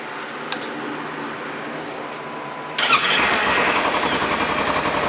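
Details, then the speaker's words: Motorcycle started after work made it quieter. It fires and settles into an even, fairly soft exhaust note at about four pulses a second, much less obnoxious than before; running normally. "a lot quieter, a lot less obnoxious."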